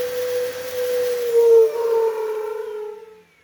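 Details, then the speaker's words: Dyson stick vacuum gives a loud hollow howl over its motor whine when switched on and off, dropping in pitch as it spins down; an unsealed side air filter is the cause, not the motor. "What problem I found, which everybody has probably had before on these, is the noise it makes when you're switching on or switching it off."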